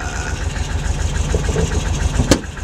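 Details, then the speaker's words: 1979 Volkswagen Bay Window bus engine, first start after a 12–14 day full rebuild (previously running on about three cylinders); brief lifter bleed-down noise, then a steady, even low chuffing idle with no knocks or misses: normal idle. "that sounds good we had a little bit of a lifter bleed down there but it few seconds there yeah oh yeah it's sounding better now"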